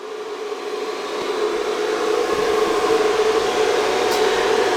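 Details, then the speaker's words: Eight-GPU 3070 blower-style mining rig's power supply running in a 71°F (21°C) room: steady loud airy hum, constant mid-pitched drone; power supply fan too loud, so rig to be moved to the basement rather than swap the PSU. "I think I'm gonna be moving this 3070 rig down into the basement because simply this power supply is too loud"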